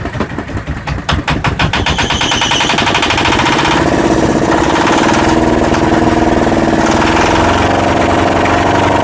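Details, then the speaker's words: Yanmar SB12 marine diesel after fuel line repair, mounting the primer bulb vertically: cranks about two seconds, catches, and settles into a steady, even clatter with no hunting; clean idle. "Pretty good. Keep running it for a while. Make sure it's all the air's out of the line now."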